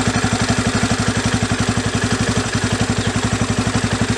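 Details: Yamaha Raptor 350 single after carburetor rebuild, idle screw backed out about an extra turn from 2 turns out: steady, even, unbroken thump with no hunting or stumbling, comes down to idle smoothly; idle speed good.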